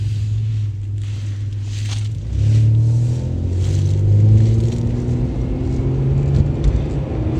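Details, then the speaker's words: Pontiac Grand Prix on test drive after misfire wiring harness repair, engine running well: steady low drone under road rumble with a slight rise and growl, suspected bad wheel bearing. "taking a Pontiac out for a test drive and then it's running nice and really happy with it definitely sounds like a bad wheel bearing"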